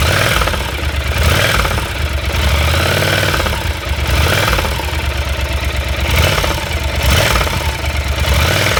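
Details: Yamaha TDM 4TX twin idling and revving with a heavy rhythmic knock that follows the revs: failed connecting rod (big-end) bearings.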